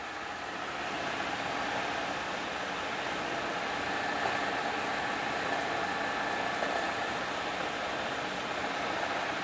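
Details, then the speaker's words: First test run of the newly built Pearl, gearbox powered through a temporary clutch/brake lever, at top speed (about 1794): smooth constant hum with a soft steady tone, no grinding, knocking or whining; no noisy gear, good sound. "there wasn't a there wasn't a noisy gear in that whole thing there was good good sound"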